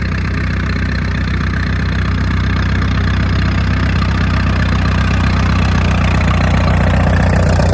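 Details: 1938 Farmall F-20 tractor revived after 20 to 30 years in a barn: deep, even chugging at a steady slow idle, about four beats a second, with no misses or knocks; the old engine runs smoothly.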